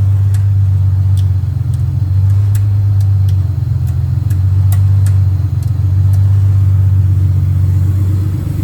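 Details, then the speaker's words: J35 V6 sandrail warming up at idle after a radiator fill, with a low battery on charge, oil pressure present and old-smelling fuel. Steady, even low rumble with no knocks or misses; healthy. "So we're gonna let it warm up here for a little bit and get the fans to come on."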